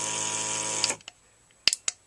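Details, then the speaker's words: BEME e-Rod motorized drapery drive on the bench at 12 V: motor whirs one direction, stops, then only sharp relay clicks with no motor sound the other way; relay contacts not carrying current. "but doesn't go the other way you can hear the relay clicking still so relay is clicking but the contacts inside are not carrying current"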